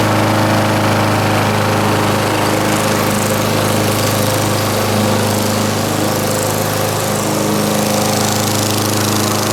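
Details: 1989 Lawn-Boy S21ZPN push mower refitted with a 4.5 hp Tecumseh Eager 1 engine, from cold start, about half throttle: steady even single-cylinder chug, no misses, knocks or rattles; runs smoothly and healthy.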